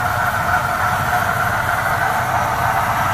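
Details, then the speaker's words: 1973 Oldsmobile V8 started after 27 years of storage, running on its own on old fuel plus about three gallons fresh, no jump needed; fairly steady idle rumble with a faint whine. "I'm gonna go ahead and fire it off for you and let y'all listen to it run after 27 years"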